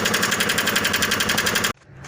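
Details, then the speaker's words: VAZ 2109 engine running with a sharp, steady metallic ticking at roughly ten a second, a valve knock: an adjusting shim had fallen out from under a valve and the cam lobe was damaged; fix is a new camshaft and valve adjustment. "на нашу шайбу регулировочные и пинцетом сейчас достаю она превратилась вогнутую тарелочку и здесь ее под этим клапаном нету то есть оно просто вывалилась каким образом я не представляю"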